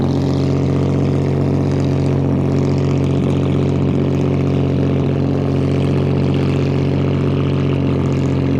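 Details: Restored 1935 Stancraft race boat inboard, the oldest known surviving Stancraft, with race intake manifolds that hold a high idle of about 2,000 rpm; steady, even drone with no misses or knocks. Normal high idle.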